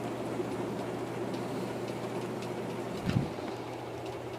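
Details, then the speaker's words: Two-speed antique Century shaded-pole ceiling fan, its broken part repaired with Gorilla Glue, switched to low: only slightly slower than high, quiet steady hum with no knock or scrape, amp draw a bit below high's 3.42 A, balance perfect; running smoothly. "we'll turn it on low [Music] it only slowed down a very small amount this thing runs fast on both speeds"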